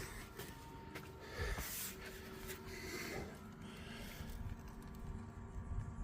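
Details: Suzuki Samurai inline electric fuel pump (4–7 psi) running: steady buzzing hum with a faint whine under clicking and handling noise. The pump works and moves fuel; brown debris in the filter, tank contamination suspected.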